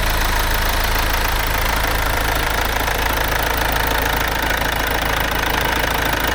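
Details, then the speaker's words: Mercedes-Benz C-Class S204, OM651 diesel, after timing chain replacement and 660 km driven: steady, even diesel idle clatter with slight shake considered normal for a diesel, no misses or odd knocks; normal diesel idle. "发动机运转良好。它仍然会有些抖动，但我认为这对于柴油发动机来说是完全正常的。"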